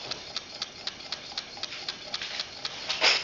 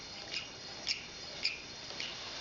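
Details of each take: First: Coaxial hot-air engine with test-tube cylinders, flame heated, running quite quickly: light crisp ticks about four per second, evenly spaced, slight squeak from glass tubes touching, no knocking or scraping; normal smooth running. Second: Coaxial hot-air (Stirling) engine with glass test tubes, flame-heated: runs quietly with light high-pitched squeaks about every half second because the glass tubes touch and rub against each other.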